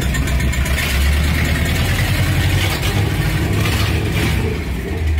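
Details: 1978 Dodge W100 Power Wagon V8 before fitting long-tube headers: deep rumble rising with revs, with a raspy puffing edge on each blip from the old leaking exhaust.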